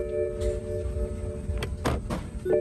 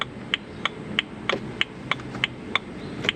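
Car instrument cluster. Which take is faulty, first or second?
first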